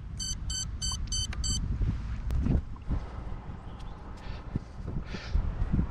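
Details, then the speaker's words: Quadcopter on a TBS Crossfire receiver via Multibind: five short high beeps about a quarter second apart outdoors as the second transmitter triggers the beeper, showing the link still works. "the green led on my module is still on so it's still connected to the quadcopter and i can again actuate its beeper"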